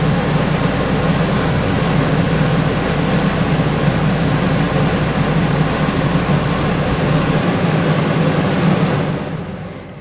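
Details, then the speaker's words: Travel trailer rooftop RV air conditioner reported not cooling: steady even hum with fan rush, no knocks, shutting down near end; compressor draws 11.6 amps, blowing cold air, 70 in to 45 out, Freon fine, filter missing. "So 11.6 amps ain't bad at all. It feels pretty good. It's blowing cold air."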